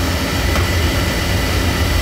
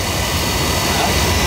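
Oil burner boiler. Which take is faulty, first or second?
first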